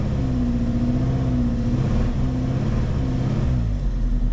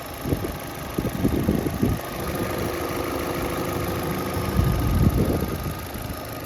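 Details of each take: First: Cheap used Vauxhall Astra with the engine light on and a misfire: deep, rough rumble with a puffing chuff that swells as it revs, from an exhaust that is blowing. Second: £350 Vauxhall Astra after valve cover change and coolant/oil top-up, engine light now gone, warming to operating temperature before engine flush, checking for leaks: steady low idle with a few louder surges, no misfire stumble; normal idle.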